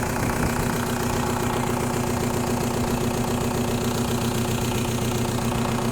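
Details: 1.9L TDI diesel with ongoing fuel problems, idling: a hard, sharp knock on each firing stroke at about two or three a second; diagnosed as bad injectors.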